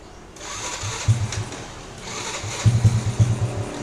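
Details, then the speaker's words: Honda C70 fitted with Shogun Edo Pro Series racing CDI replacing stock CDI, idle raised: small single catches quickly, settles into a light even putter with throttle blips; starts fast and runs cleanly. "Untuk starternya juga cepat, Teman-teman. Oke, untuk suara motornya aman, starternya cepat."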